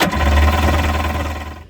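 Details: 1984 Kawasaki JS550 jet ski: short burst of fast, rough starter churning that fades without catching; spark and fuel confirmed; cause was saltwater corrosion on the starter switch electrodes, cleaned to fix.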